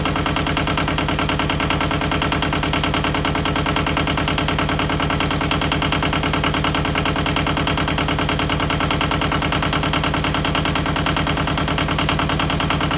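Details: Yanmar 1700 diesel idling after replacing the muffler blamed for lack of power: steady, even firing beat with no misses, knocks or exhaust rasp; sounds much better and runs healthy.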